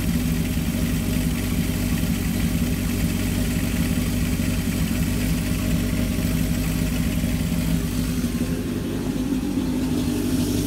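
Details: 1978 Kawasaki KZ650 C four-cylinder, revived after sitting at least 5 years, during carb synchronization with air cleaners off: steady raised idle around 2000 rpm, smooth even hum with no hunting or misfire, carbs sound balanced; normal fast idle.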